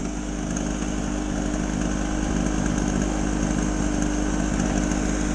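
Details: Small two-stroke generator, sat unused in a shed for years and never run before, now starting easier: a steady, buzzy drone at an even pitch with no misses or surging; running normally.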